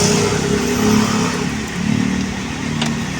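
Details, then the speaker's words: Honda Click 125 scooter revving at take-off: uneven shuddering rattle under engine note and strong vibration without hard throttle; CVT judder traced to worn flyballs. "So pag ini-start ko siya, grabe yung garalgal. Bago mandar, yung takbo niya pang parang basta hindi mo maintindihan."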